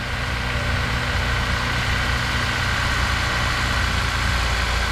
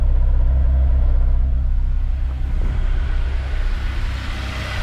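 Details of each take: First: Honda S2000 at idle after cleanup and new spark plug cover bolts: smooth, steady low idle with an even rhythm and no popping or puffing at the exhaust; running cleanly, no misfire. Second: Honda S2000 with cylinder 3 misfire code: low idle with uneven bubbling stumble and dropped beats, random puffs at the exhaust instead of a smooth stream; tight valves found as cause. Cylinder misfire from tight valves.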